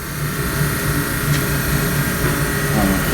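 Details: 65-year-old 1954 Mayflower oil furnace burner after impeller cleaning, open-deck motor, new motor and coupling to be ordered: steady, even low hum and smooth constant roar, no knocks or scraping; burner running healthy.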